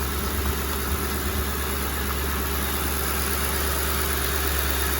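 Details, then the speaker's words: Used car at a dealer lot with white residue under the oil cap and no coolant, dealer passes on it: smooth, even idle with a steady low hum and no knocks, misses or rattles, engine sounds good. "We're gonna pass. No coolant, plus it's been here a couple runs. Sounds good though."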